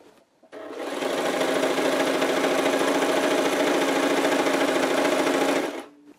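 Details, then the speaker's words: Brother JS-23 sewing machine after clearing needle-clogged needle plate hole and deburring shuttle retaining ring, which had knocked and jammed the shuttle: fast, even needle clatter, no knocks or catches; normal high-speed sewing after repair. "Ну вот строчка у нас хорошая и вы слышите звук совсем другой стал машинка перестала шуметь"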